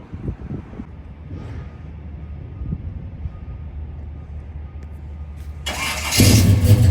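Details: 1968 Chevrolet Chevelle, 454 big-block V8, 700R4 automatic, 3-inch stainless exhaust: low, even burble at idle with steady beat, then sharp rise in level as it revs; healthy and clean.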